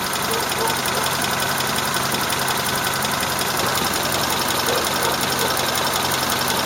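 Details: Engine warmed to operating temperature, idling with fairly quick, uneven tapping about three per second over busy hiss and noticeable vibration; owner unsure whether a valve ticks or shafts rattle; corrugated pipe leaks slightly.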